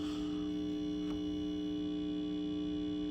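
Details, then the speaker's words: Speaker buzzing steadily with constant low buzz and fixed tones, one supply line reading only about half a volt; tends to go away once warmed up; bad ground or supply fault suspected. "So, all right, let me think about what I'm going to do next here, because obviously you can hear that speaker's just buzzing away. It's just buzzing away."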